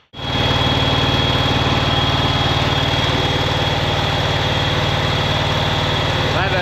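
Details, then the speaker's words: 2011 John Deere Z910A zero-turn with a Kawasaki FX651V twin, heard before the ignition coil and spark plug replacement. Loud, uneven, lumpy idle that sounds like a cylinder is missing. "At this particular time, we're going to work on the engine a little bit because it's just not running right. Got something going on there. Sounds like it's missing a cylinder or something."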